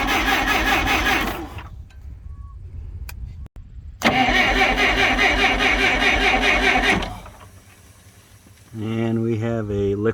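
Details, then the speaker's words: Clark C500Y45 forklift with a Waukesha D176G propane engine, weak yellow spark, propane tank initially shut off, started on starting fluid; it cranks, catches and runs a few seconds on a rough rattly beat, then dies. A liquid propane line leak was then found. "let's see what it'll do with a little starting fluid boy it wanted to so bad"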